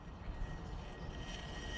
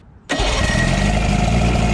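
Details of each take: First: 1982 Glasstream bass boat with Chrysler 100 hp outboard after pressure washing: thin, steady high whine over a low rumble. The noise stops when the battery is disconnected, so it is electrical; the owner suspects a fried stator, as there is now no spark. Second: 1982 Glasstream boat's Chrysler 100hp outboard after fixing a loose neutral safety switch wire and setting distributor timing at top dead center: fires at once, runs quick and even, shuts off cleanly; runs without the stator for spark.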